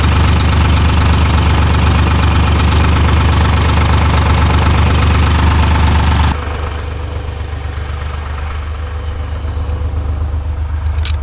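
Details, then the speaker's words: Timberjack skidder diesel with mismatched injectors (two 45s and a 50) and loose fan belts: starts and runs with a deep, steady rumble, then sags abruptly at about six seconds and loses power, as it does under load. Fuel pressure to be checked. "It'll start right up, but as soon as you put it under load, you know, try to go down the skid trail, it falls right apart."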